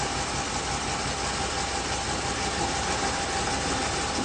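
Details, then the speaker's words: 1987 Chevy 305 TBI truck on first firing running on wood gas only, no gasoline, mixture being adjusted by hand without touching timing; steady even idle with slight hiss, no knocks or misses; normal idle. "You can hear it pulling as you get as you change it. Oh, look at that. That's without playing with the timing. No. That's it. Running on wood gas only."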